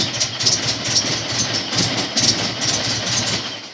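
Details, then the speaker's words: Honda S2000 after melted number-one coil pack; all four spark plugs and ignition coils replaced; first startup catches and runs lumpy with uneven pulses about two a second and shaky loudness; rough running on first start, cause unknown. "okay it was kind of a rough start that first startup so i'm gonna do another startup and i'll give it some gas see what happen"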